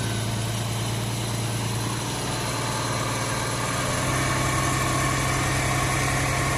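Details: 1994 Mercruiser 4.3LX V6, warm at about 130, fresh high-test fuel and new fuel-water separator: steady even idle drone picking up slightly midway, sounding faster than the 900 rpm tach; keeps stalling after about a minute.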